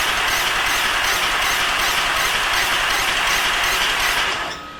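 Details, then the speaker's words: LNWR Precursor locomotive chassis first test running on air: loud steady air hiss with uneven knocking about two or three times a second plus squeaks from flanges, gaskets and seals needing tightening. "There's lots of squeaks and knocks and dings and all sorts going on here, so we need to work a little bit on all the flange surfaces and all the gaskets, all the seals, making sure they're all nipped up."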